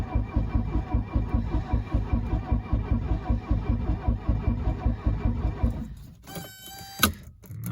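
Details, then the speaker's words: 1982 Mercedes 240D W123 diesel, sat at least 3 years, cranking with throttle pressed: even quick cranking with no firing; glow plug light not coming on, no start due to faulty glow plug relay. "oh it's turning nowhere well it turns over at least that is odd that the glow PL light isn't coming on when I uh cycle the key like it should normally"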